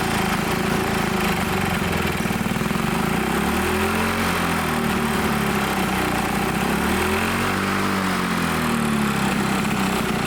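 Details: Old Lawn-Boy Loafer dual-engine rider, front mower two-stroke, dripping fuel after fueling: runs on its own with a buzzy note, revs drifting up and down every few seconds; carburettor untuned, main jet possibly plugged; normal running.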